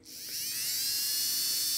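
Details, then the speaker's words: Buehler motor in an Arbour Models locomotive kit (Brooks 2-6-0 / Sierra 4-6-0), tested after oiling: high thin whine spins up, holds a steady even pitch and winds down with no scratching. Normal run, a strong runner with good torque. "okay much better seems like a good strong Runner good torque"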